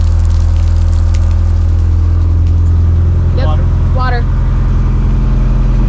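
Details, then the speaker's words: Ford Lehman marine diesel on a sailboat, started after replacing wet sleeve O-rings for a coolant leak: steady, deep rumble held slightly above idle, even and smooth with no knocks; running healthy. "Fire's right up though. I got it above the idle still. Alright, so as you can hear, the engine's running."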